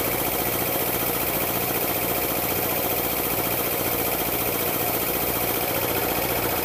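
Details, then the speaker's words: Air compressor pump building pressure toward about 40 PSI: steady chug with a sharp clack about three times a second from one cylinder under pressure; owner suspects piston slap or a bad piston ring, unconfirmed. "now it's kind of clack in one of the uh cylinders when it gets under pressure right now it's not doing it"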